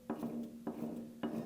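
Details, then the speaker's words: Stock 4.10 rear differential (third member) just removed from a 1984 Toyota Sunrader pickup motorhome: slow, even clunk once per turn with a ringing metallic note, louder than it should be; noisy differential, worn bearings suspected. "And I don't know if you'll be able to hear this, but just listen to how loud this diff was when I pulled it out."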